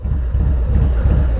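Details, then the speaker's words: Harley-Davidson FXLRST Low Rider ST, Stage 2 117 ci V-twin with Star Racing 30/30 cam, after a dyno tune, while riding: deep, loping, lumpy rumble at steady throttle, the typical 30/30 cam sound; healthy. "that's the typical 30 30."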